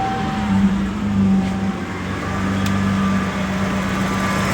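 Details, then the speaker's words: 1987 Ford Ranger after a jumper fix in place of the compressor relay, A/C on: steady even idle, constant low drone with a faint whir, no misses or knocks; normal idle with A/C compressor engaged. "with our jumper plugged back in. Compressor is engaged."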